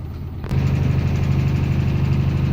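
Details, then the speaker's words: LG fully automatic washing machine after inlet valve repair, on spin: a steady, even low hum holding constant speed, no knocks or scraping; the drum is spinning at the correct speed. "आप drum की speed देख रहे हो drum भी सही speed पर चल रहा है"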